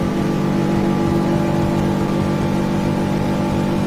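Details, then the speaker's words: Repowered boat with F300 outboard, weight in bow, at full throttle trimmed up reaching 57–58 mph after 30 mph cruise at 4,800 rpm: strong, even engine roar over water and wind, no misses or surging. "Then I open it up a little bit more. Trim up, trim down, makes it easy. There you go, 53. Full throttle, I'll get it for 57."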